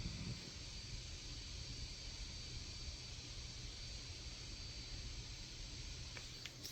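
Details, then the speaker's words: GPD Win Mini (7640U) running God of War at 20W TDP; fan set to 60% with the APU at 72°C, giving a soft, even airy hiss that is much quieter than at 70–100%, with no rattle or whine. Normal fan noise. "60% right now um it's kind of not it's not audible I can hear it but it's definitely a lot quieter than 70 to 100% was"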